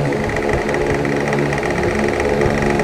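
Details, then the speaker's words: An Asahi electric fan, noisy since another technician's repair, runs on high speed with a fast, steady rattling clatter over the motor hum. The shaft tip strikes an overlong screw; backing the screw out slightly removed the noise. "inadjust lang itong turnilyo nawala d lang po ang sira mga k Dito lang inatras ko lang ng konti ang turnilyo nawala po yung ingay"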